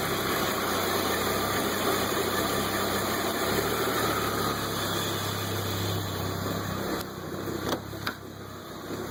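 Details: Modded Audi UrS4 petrol engine after reassembly, warm: uneven idle wandering up and down with irregular stumbling misfire; runs fine when cold, hunts for idle and misfires once warm.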